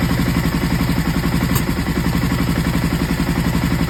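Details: Aprilia ETV1000 Caponord V-twin: choppy, uneven idle with a stumbling beat about four times a second; misfire caused by the front cam sitting one tooth off timing.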